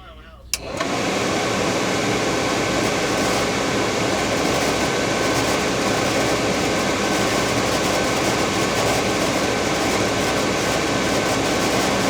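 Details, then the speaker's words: RV furnace blower fan just after the furnace was bolted back in during a sail switch replacement (fan ran but no heat): a click at start-up, then an even, steady fan rush that spins up and runs smoothly, pushing air to close the sail switch. "right inside that fan right there that just spins and pushes the air"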